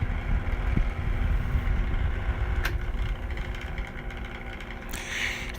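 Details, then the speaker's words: Vornado box fan (owner compares it to a West Pointe fan at work) running with a rough, uneven low rumble and faint steady hum from very bad, worn motor bearings; fan about to die. "very bad bearings, and the fan's about to die real soon."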